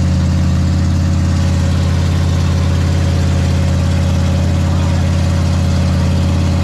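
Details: Big block Ford 460 in a 1956 F-100, during cam break-in; loud, deep, even rumble at a fast idle, about three and a half pulses a second, no knocks or misses; normal idle.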